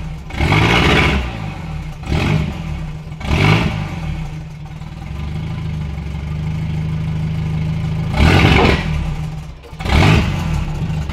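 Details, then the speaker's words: Honda K24-swapped Mazda RX8, first start after final engine install with the latest tune uploaded: quick throttle blips that spin up sharply and drop back cleanly, with no stumble or rattle. Healthy free revving. "oh dude it revs up so much better right now it wraps up so much better"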